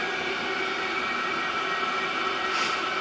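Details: Diesel heater in a cold allotment shed, running 16 minutes, shed warmed from 1 to 3.7 degrees: steady even whirring hum with faint constant whine, no pulsing or sputter; normal running at high power.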